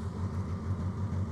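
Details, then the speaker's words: Suzuki Grand Vitara part-exchange car, heard from outside at start-up. A low, uneven chugging idle with a lopsided, dropping beat as it tries to rev high. A steady misfire that the owner believes is not a coil pack but something more serious. "so I'll leave it running so you can hear the comical misfire I think it's trying to rev quite high now to sort itself out"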